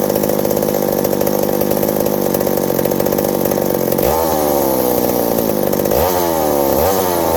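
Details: McCulloch 790 (MC101) chainsaw with new 090 carburetor, muffler loosening from broken bolt: steady scream, then pitch sags and hunts twice while cutting, starving under load; owner suspects fuel or an intake gasket vacuum leak.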